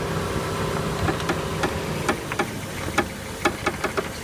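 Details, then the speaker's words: 2007 Chevy Aveo, front driver's side, wheel turned at idle: sharp irregular cracks and pops, about two a second, heard when turning. Cause is a worn front sway bar link. "So what she's going to do is she's going to turn, and you can hear it crack."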